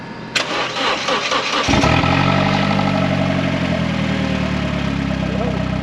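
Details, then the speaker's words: Crash-damaged salvage Vauxhall Corsa petrol engine, started in the workshop while still on the forklift, with the exhaust removed; short crank, then a loud, raw, rasping idle. The engine itself sounds all right, and the blowing comes from the missing exhaust. "the engine does sound all right obviously it's blowing like hell because of the exhaust off it"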